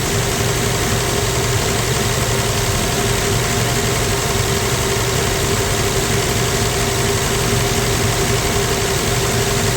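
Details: 1965 Plymouth Valiant 100 slant six, first start in years: even, steady idle with smooth low hum, no misses or knocks; idling nice, slight smoke noted afterward, normal idle.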